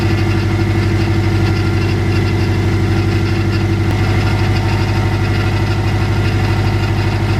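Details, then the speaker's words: Subaru Legacy GT just after engine reinstall, first start: steady idle with light thrumming and faint whine dropping out partway; owner suspects loose AC belt, needs tightening. "i'm pretty sure this ac belt is loose and that's what's making that noise i need to tighten that up"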